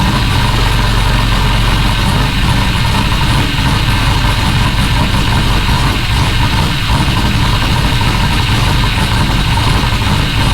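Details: Rally Camaro LS V8 with no exhaust fitted, first start on new Aces Jackpot standalone ECU, not yet at operating temperature so not self-tuning: loud, raw, steady idle, even beat, nothing knocks or misses; normal idle.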